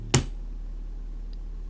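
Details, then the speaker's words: Fosa bookshelf speaker playing a 37 Hz test tone after a switch click: a purer, slightly louder bass tone without the overtone and rattle heard from the other speaker. "it's a much purer tone. I'm not saying it's perfect, but it's a much more pure tone, and it's also uh a little bit louder."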